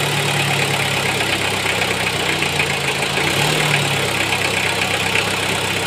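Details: Toyota 1C-II diesel at steady idle with an aged timing belt/drive belt: a loud hissing, rattly chatter up top stays even with no throttle change. Abnormal noise, cause unconfirmed.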